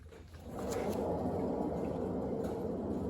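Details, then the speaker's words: Front wheel spun by hand, hub felt hot: a steady, gritty, noisy rumble from a dry, worn front wheel bearing of the sealed, non-maintainable type, which needs replacing. "give it a spin that sounds pretty noisy doesn't it sounds like a dry bearing to [Music] me"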